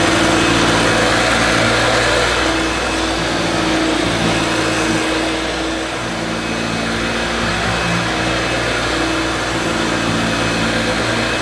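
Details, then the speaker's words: 1971–74 Hoover Dial-A-Matic 1149 upright vacuum with new bag, carpet suction on max on a long-pile rug: steady motor drone with a coarse, uneven rasp over it; owner thinks motor is okay and suspects the agitator. "i think the motor sounds okay i think the noise is probably coming from the agitator"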